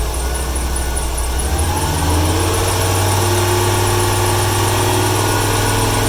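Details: 1995 Ford 300 straight-six with over 400k miles, misfiring: chirpy squeal climbing in pitch over a rough idle after rain, stutters on throttle; squeaky belt, likely damp; owner wonders if the misfire is a fuel or timing issue.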